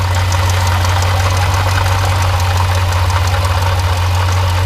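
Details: Jeep Grand Cherokee SRT 6.4L HEMI V8, 39k miles, idling: steady low drone with fast light rattle as the water pump pulley wobbles back and forth, coolant spraying; water pump failing.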